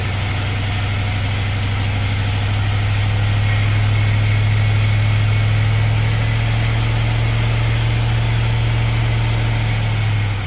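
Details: 1951 Chevy with LS swap V8, first start-up: heavy, lopsided idle with pronounced uneven shake and deep pulsing, running on only four cylinders because one bank's injectors aren't firing; harness later swapped side to side.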